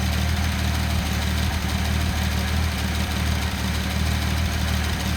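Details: Datsun 280ZX turbo with EFI, warm, after throttle blip, sensor showing a lean drift: deep idle with a slight uneven burble under the steady thrum, lumpy beat; uneven idle burble that is being adjusted out.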